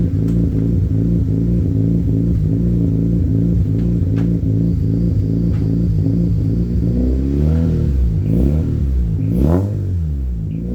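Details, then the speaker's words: Mazda RX-8 rotary, bridgeport, cold idle at 72° with AFR 14.6: choppy fast-pulsing idle with rough blips and pops while warming, said to be from battery disconnect forcing short-term fuel trims to relearn; exhaust popping at cold idle. "you'll hear a bit of a pop cuz it's actually cuz I've disconnected the battery um so with a popping it has to relearn itself it's fuel uh short-term fuel trims"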